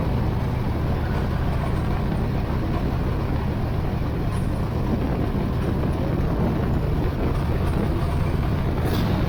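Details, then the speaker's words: 1980 Z28 V8 just started on a new knock-off Holley 4-barrel carburetor, no brakes, carb not leaking: deep, steady rumble holding a fast, even idle with no dip or hunt. The idle speed is set too high. "Okay, let me let it run for a minute and uh see if I get that idle down a little bit lower cuz I I can have it putting it in gear and having it move real Fast."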